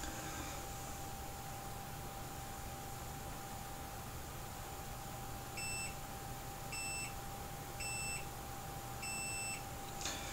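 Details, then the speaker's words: iPhone 7 with error 4013, multimeter in continuity mode on the PP1V0 LDO9 rail: four clear beeps confirm a short to ground; removing the WTR4905 cleared the short. "you'd as you can hear there's a short there"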